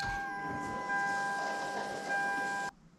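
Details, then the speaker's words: Toyota Supra MK4 track car at key-on after replacing MegaSquirt with ProEFI ECU and repairing wiring: steady high-pitched electric hum for nearly three seconds, cutting off cleanly; idle speed control motor, dead under MegaSquirt, now working normally. "key off and take the key out so your idle speed control motor was not working with the megasport now it is working"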